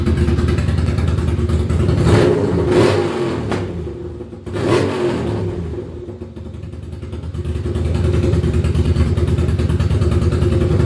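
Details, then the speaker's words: Ducati Monster 695 café racer, first start after rewiring and new coils/HT leads: lumpy, even V-twin chug with clean blips and dips between revs; runs strong but too loud, owner thinks pipes need additional baffling. "boy that was loud uh probably a little too loud i think we may need some additional baffling in the pipes"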